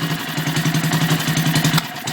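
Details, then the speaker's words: Antique 1959-ish Briggs & Stratton 2HP just after a complete rebuild, no exhaust pipe. Rapid, uneven thumping with sharp pops from the open exhaust, intermittent backfiring; owner says the valves still need to wear in, and mounting bolts were coming loose. "oh good fartage there valves still need to work in a bit"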